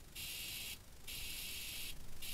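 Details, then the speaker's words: Homemade buzz coil from modern parts for a hit-and-miss engine, tested on a battery with a spark plug grounded to battery negative: three bursts of harsh, high hissing buzz, spark present, working normally. "you can hear my buzz coil buzzing i am getting a spark so let me try to get a shot of that for you we'll be right back"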